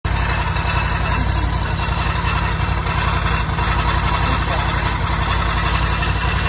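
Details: Ducati Scrambler 1100 Pro after a few miles: loud rough idle with a constant gritty grinding layer over the low engine beat; strange grinding noise, source unknown.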